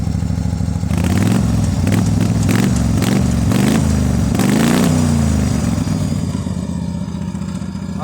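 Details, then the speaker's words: Wheel Horse mud mower, started cold with the clutch pushed in and throttle limited by the tree kickers; the engine thumps unevenly, surging up and down, and takes a while to warm up. Rough running when cold. "She's cold-blooded. Boy, it takes her a while to warm up."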